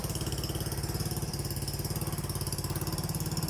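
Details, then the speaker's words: Yamaha Mio scooter, hard to start and would not idle because of a faulty fuel tap (vacuum line plugged as a workaround), old carburettor refitted: steady, even single-cylinder idle with no stumbling or dying; idle now smooth after the repair. "ก็เอาคาบูเก่ามาลองลูกนี้ก็ลูกไม่รู้ว่ามันดีหรือเสียแต่ก็เอามาลองดูแต่รู้ว่าลูกเร่งใช้ได้ก็เลยปิดงานนี้ได้นะครับเดินเบาเรียบ"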